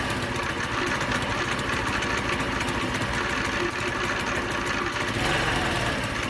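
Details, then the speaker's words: Scooter, cold, idle screw just turned up slightly: busy, buzzy single-cylinder idle with steady ticking, sounding lean; wants more throttle until warmed up. "yeah i know you wanna die you gotta warm her up a little bit before she'll be happy"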